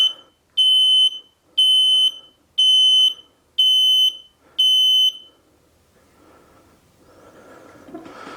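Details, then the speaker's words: Five high, even beeps about one per second from a fully charged mobility scooter that won't move; the controller flags a fault, nine flashes meaning the electric brake is not connected, cleared after reconnecting it. "this is the first time i've heard the beeping that's odd nine before it was eight now it's nine"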